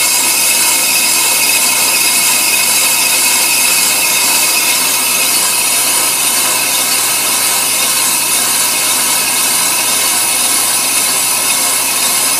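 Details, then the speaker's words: Ammco brake lathe, first cut removing the glazed finish from a brake drum, near the end of the cut: steady, thin high metallic hiss of the bit shaving the drum, even and unbroken; clean normal cut. "see what's happening is that bit is cutting off the uh the drum and we're taking off that bad glaze finish this way your brake FES are going to make a good stop every"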